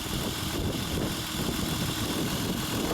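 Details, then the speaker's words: 2003 Honda Odyssey 3.5L after fixing a non-firing cylinder 5 ignition coil (code P0305), check engine light off: steady, even idle hum with no stumble or shake; normal idle after repair. "the engine is running as you can hear I hope the camera is picking that up it's not shaking anymore okay"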